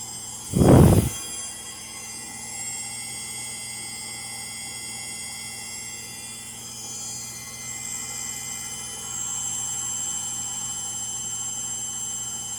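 After a single thump, a washer spins with a steady low rumble and a high whine from worn motor bearings. Cause suspected, not confirmed.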